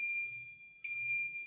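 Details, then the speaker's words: Safe House 49-485 alarm panel armed to home with code and home button, so it arms instantly: a steady high-pitched keypad tone breaks briefly, then resumes with no entry delay when a zone is faulted, giving an instant alarm. "If you do that, system arms right away. So an instant alarm, if you will, and this will produce an instant alarm when a zone is faulted."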